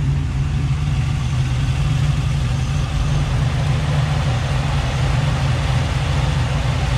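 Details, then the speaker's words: Chevy Nova idling hot after thermostat replacement, air pockets apparently purged: steady, even low idle with the cooling fan kicking on and rushing underneath, no knocks or misses; engine and fan healthy. "sounds much quieter now so far the hoses look okay this is hot everything's hot so I think the air pockets are out Fan's going to kick on"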